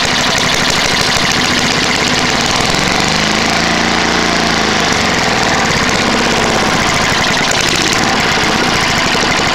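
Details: Trash-picked Tecumseh lawn mower engine, first start after many years sitting: loud, harsh, lumpy rattly clatter at steady speed; worn out, bad head gasket, carb and piston, burns a lot of oil. Worn engine running rough.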